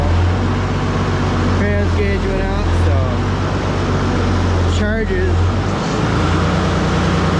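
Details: Ford 6000 diesel tractor just started after alternator install, charging: steady, deep diesel drone at even speed with no knocks, misses or squeals; normal diesel idle.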